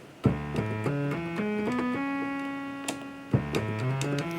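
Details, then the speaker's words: 1974 Minimoog before repair, all oscillator mixer levels at zero: a buzzy sawtooth-only tone still sounds through the keyed notes, so oscillator two bleeds through the mixer; the filter also has tracking problems. "but you can also hear a bleed through so we got all the oscillators the trials turned to zero you can still hear oscillator too"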